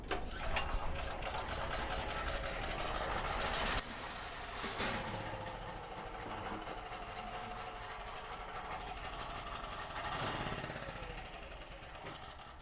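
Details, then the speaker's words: Cheap used generator, 38 hours on it, bought non-running: first start after carb cleaner squirt, choke on, throttle linkage not yet hooked up; small single-cylinder engine runs unevenly with loose, hunting beat. "Well, I didn't hook the throttle up. But did y'all hear that? It ran."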